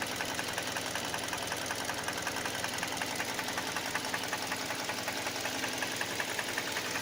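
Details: Hyundai Elantra 1.8 at idle: rapid, steady metallic tapping throughout. Knocks cold and warm and grows louder as revs increase; internal engine knock of unknown origin.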